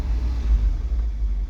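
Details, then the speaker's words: Old gas V8 4x4 pickup with a manual transmission, inspected before buying, just jump-started (battery likely weak): a deep, even, low idle with no knocks or misses. It is checked for smoke and judged not too loud, a good noise. "give a nice low idle here okay now let's take a look and see we want to see if there's any smoke back here want to make sure it's not too crazy loud not too bad it's a good noise"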